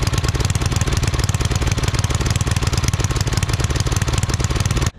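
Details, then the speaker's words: Coleman Powermate 5000 W generator, sat a couple years, after carb cleaning and new fuel line clamp: uneven, lumpy chugging about three pulses per second; engine running rough and weak, output only about 80-something volts. "okay so for some reason we're not getting full power so yeah on our voltage we're only getting 80 something so definitely not r"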